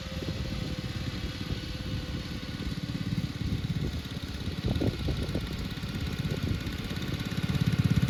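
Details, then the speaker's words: 1962 Bolens Ride-a-matic garden tractor, restored and test-driven outside: single-cylinder thump runs steadily, picks up revs cleanly and holds them without misses; engine runs very well at varied revs. "so as you saw in all of that video this Ry Matic now runs very well it happily ran at different kind of rev levels and It sped around quite fast when I rev up a bit"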